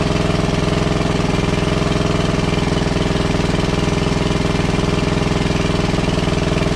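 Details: WWII Chore Horse 300-watt battery charging set, model CH1 395-5, original 1940-41 paint, after slight throttle-screw adjustment: even single-cylinder beat about three and a half firings a second, steady, no misses or knocks; healthy, works great.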